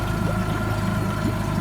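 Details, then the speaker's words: 2012 Nissan 20 hp four-stroke long-shaft outboard, electric start, with new water pump, cold start after a week unused: smooth, steady low putter with no knocks or misses, idle picking up as it warms; normal idle. "there she's starting to warm up you can hear the idle picking up"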